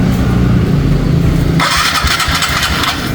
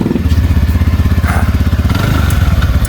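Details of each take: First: TVS Ntorq 125 scooter before repair: rough start with uneven metallic clatter over the low engine note, like broken pots; worn cam timing chain rattle, one-way nut also found loose, to be tightened. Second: TVS Ntorq 125 scooter after repair: even quick idle putter about four pulses a second, only faint auto choke tick; normal idle.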